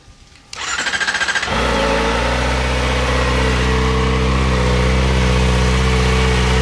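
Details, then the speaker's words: Kawasaki Ninja ZX-4RR 400cc, revs to 16,000 rpm, on stock exhaust before titanium exhaust and K&N filter install: short crank, catches instantly, settles into a smooth, steady high-pitched idle with no misses or knocks; healthy. "Doesn't that sound crazy? And that's a stock exhaust. Just wait till we throw that titanium thing on."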